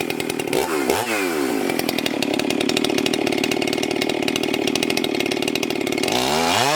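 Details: Husqvarna 394XP chainsaw, freshly rebuilt and ported, first shakedown runs cutting a large log: two-stroke screams at high revs, holds steady through the cut without bogging, drops back to idle. Runs normally; may lean the low jet slightly and richen the top end.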